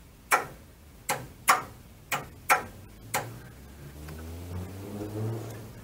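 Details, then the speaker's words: 1932 Ford sedan being rewired, ignition on accessory, indicator switch flicked with lamps not connected: six sharp, uneven relay clunks about one a second, then a faint low hum, the indicator relay switching over properly. "The lights aren't hooked up, but if I go on ACK and I flick the switch, you can hear it clunk over there. Hear the relay."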